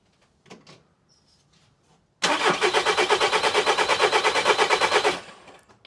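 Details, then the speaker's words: VW Caddy Maxi 1.9 TDI PD diesel right after injector seal replacement, in-tank pump primed: starter spins it over at about three compression beats a second for three seconds without firing; air in the fuel system. "Prime the ignition a couple of times, because they do have an in-tank pump. And that pumps some of the fuel up, some of the air out. But it might need to wang, I don't know, for a couple of seconds."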